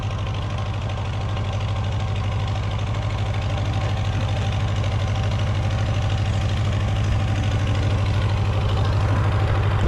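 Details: Old four-cylinder Massey Harris 30 tractor after the oil was burned out of its cylinders: even regular beats with steady revs and no misfire; the fuel sediment bowl is leaking gas.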